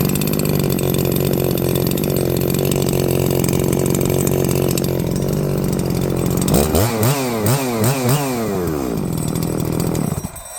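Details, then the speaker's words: New Holzfforma G366Pro chainsaw (MS361 clone), first run: steady idle then blips to full revs with wavering, burbling top end; factory carb running a little rich on the high end. "You know, definitely running a little rich on the high end, but that's to be expected from the factory."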